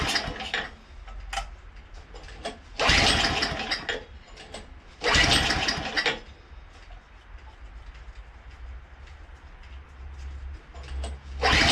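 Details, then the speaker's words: Craftsman two-stage snowblower, unstarted for 2 years with fuel in it, catches in ragged bursts on choke, sputters and stalls; it fired right up once gas was added, so the stalling came from low fuel. "Okay, it moved a little bit, and then it cleared up, and then it stalled. So I just put some gas in there, fired right up."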